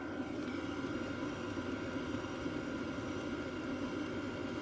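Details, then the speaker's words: Hcalory TB2 diesel heater after one year of use: steady even fan whoosh with faint constant tone, diesel fuel pump now significantly quieter, barely audible up close and inaudible standing back; normal running. "So the diesel pump is now significantly quieter. I can barely hear it."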